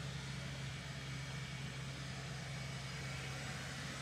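Quiet, smooth low idle with a steady hum and no hunting or stumble; the engine is running normally.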